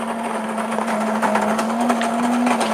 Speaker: but it's definitely grinding the coffee we can hear it grinding the coffee